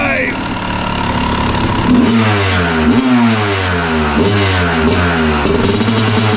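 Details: 1997 Kawasaki KX250 two-stroke, sat for years, first start after draining old fuel, carburetor not taken apart: snaps up and falls back several times with crisp throttle response, no bog or misfire; normal revving, not yet ridden.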